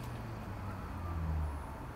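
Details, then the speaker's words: Planar hot-air heater with PU-05 controller at switch-on: the fan kicks in for a few seconds with a low whirr that swells, then ramps down before the glow plug heats. This is normal startup. "what's gonna happen now is that the fan will kick in for a few seconds and that little ramp down"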